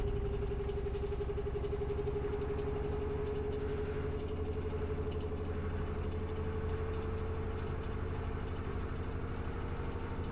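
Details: LG F4R3VYW3WE washing machine on the Sensitive 30° program, around 660 rpm: smooth, even spin, the motor whine creeping slightly higher over a soft drum rumble, normal spin cycle.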